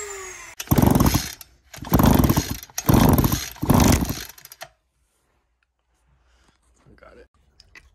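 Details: Two-stroke engine that had no spark, after the spark repair: four short full-throttle bursts, each revving cleanly and cutting off, then shutdown. Engine fires and runs normally.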